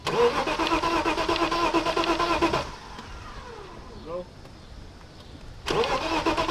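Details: BMW 325is that won't start while the fuel pump fuse is being checked. Two bursts of steady starter cranking, about three turns a second, with a pause between; the engine never fires: cranks, no start.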